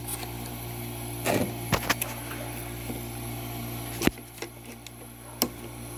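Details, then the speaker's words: Refrigeration compressor of a 1970s–80s Oasis refrigerated drinking fountain running with the control jumped, evaporator getting cold and frosting: low, steady, very quiet hum with no knocking or rattle, only occasional handling clicks; running normally. "Yeah, that's getting cold now. It's frosting. That compressor is so quiet. Sounds good."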